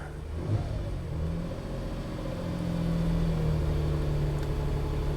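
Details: 2006 Nissan Pathfinder with hard start and running problems, coolant temperature sensor unplugged showing substituted 104 value: idle steadies, then revs climb and hold higher for a few seconds, an unprompted surge; possible fuel cut, cause not confirmed.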